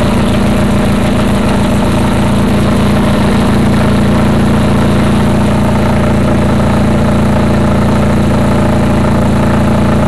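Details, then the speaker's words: Craftsman GT6000 mower on its first test mow after the deck lift eyelet bolt was welded; loud steady drone with a brief faint flutter early, then an even run under load; sounds good, normal running. "Sounds good. Except for a little bow."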